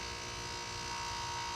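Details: 2006 Nordic Air heat pump, outdoor unit: a steady electrical buzz while the fan does not turn, with warm air still blowing indoors. After the noise stops, the fan starts normally about 30 s later. Cause unclear.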